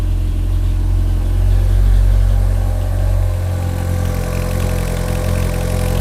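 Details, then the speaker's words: Fiat Panda with swapped Abarth Panda Turbo T-Jet engine, running after swap: steady, deep idle with slight swell and settle, seems louder than before; cause not identified. "it seems louder today"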